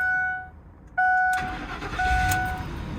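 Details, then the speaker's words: 2003 Ford Expedition Eddie Bauer that had a no-crank no-start with battery and electrics working, now tried with a spare key: warning chimes, short crank, fires right away into even idle; normal start. "that's it so don't go don't pay a thousand dollars for nothing just if you have another key try it and it's gonna save you money"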